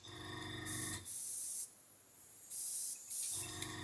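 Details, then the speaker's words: Gaahleri GHAC-Swallowtail trigger airbrush: sharp hissing bursts cutting in and out with the trigger at the end stop; air leaking from the hose quick connect, not from the airbrush. "if I set this end stop here you can hear air leaking that's the Quick Connect it's not the airbrush it's the quick connect"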